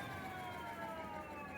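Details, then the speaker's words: Electric scooter wheel with new Schwalbe Super Moto-X 20x2.4 tire, spun up on a box, slightly out of balance: faint whining tones dropping in pitch over a light hiss; owner unsure whether the noise comes from the hub motor. "so that's that's it now of course the last time there was it was rubbing so it was a lot louder for that reason but still you can kind of hear that it's kind of got"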